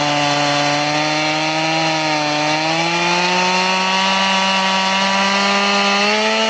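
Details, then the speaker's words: Chain filed to a 10-degree angle, crosscutting wood: a steady high buzz sags slightly under load as the saw crawls through. It runs smooth, without the pull or jerk of full chisel chain, but the shallow angle makes it cut very slowly. "So it's smooth, it's not pulling you, it's not jerking you like a full chisel chain does."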